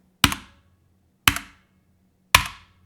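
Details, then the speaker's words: Corsair K65 RGB Mini 60% keyboard with linear switches: three hard, bright key clacks, each trailing a faint metallic ring, spring pinging especially when bottoming out hard. "but there's certain pinging happening throughout the keyboard especially when you bottom out hard"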